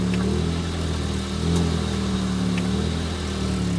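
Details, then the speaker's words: 2004 Pontiac Vibe on a January cold start, with a known exhaust leak and low fuel: at idle a steady low droning hum appears when the A/C is turned on; the source is not identified. "Something weird about this car is that when I turn the air on, it sounds a little weird."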